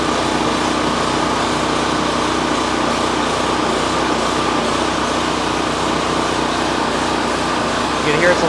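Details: Champion 4000 generator with a newly replaced carburetor, started with the choke on: fast buzzing run with a slightly uneven, choppy beat, then the fuel valve is shut to let it starve; rough running on choke, further tune-up planned.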